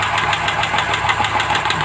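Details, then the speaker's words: Rover P5B V8 idling: crisp even ticking about seven times a second from a noisy hydraulic lifter, changing as the lifter is pushed down hard. "pretty hard there it is that's the noisy bit of pressure then release and actually quite"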